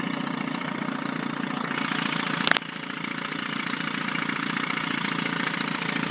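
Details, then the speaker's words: 1976-1980 Chrysler Sailor 250 10HP long-shaft electric-start two-stroke outboard, repaired parts motor with resurfaced head and new head gasket, fresh lower-unit gear oil; even quick buzz at steady speed, one brief clatter, running really smooth. "you can hear it run really smooth"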